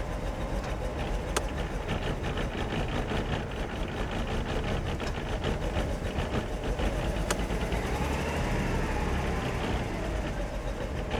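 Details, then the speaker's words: Uneven, lumpy, stumbling idle with ticking on top from an engine running very rough on a 1995 Mercedes E320 Cabriolet (W124) being rebuilt; cause not pinned down, owner suspects a large leak. "she's running so bad. She's running so bad. Can you hear it though?"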